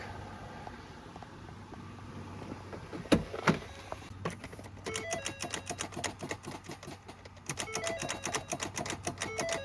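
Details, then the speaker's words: Ford Fusion that won't start: rapid chattering clicks in bursts, several per second, with no cranking. Owner suspects a bad starter. "It's clicking when you try to turn the car, like the starter's bad, something like that."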